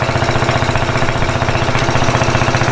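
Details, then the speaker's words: 50cc Japanese quad that sat for years, after carburetor cleaning, started with a drill due to failed starter clutch: small single-cylinder engine running at quick even beat with no misses or knocks; runs healthy, a little sluggish under two riders. "quad runs pretty good it's a little sluggish with me and logan that's like 230 pounds so i had to get out and push a few times"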